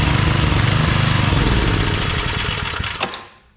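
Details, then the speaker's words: Old Briggs & Stratton 5 hp wood splitter engine after carb work, main jet adjusted a lot, run without air cleaner, choke seems to float; rough beat rising and sagging about 3–4 pulses a second, then dies. Owner suspects overly sensitive governor hunting. "It seems like the governor is like overly sensitive or something. It's probably a reason why someone got rid of this."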